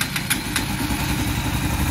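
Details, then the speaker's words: Honda Cargo 150 single-cylinder after top-end repair of a worn part with excess play that caused a rocker-area noise; steady low putter at idle with no top-end tapping; noise gone, normal idle. "como pueden escuchar pues ya no tienen ruido ya se compuso entonces pues esto era lo que él estaba afectando de esa simple pieza estaba afectando todo el funcionamiento"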